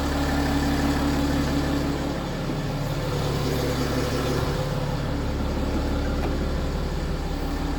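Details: BMW F15 X5 with N57 diesel idling: steady light rattle about three per second over the clatter; suspected worn timing chain, not confirmed.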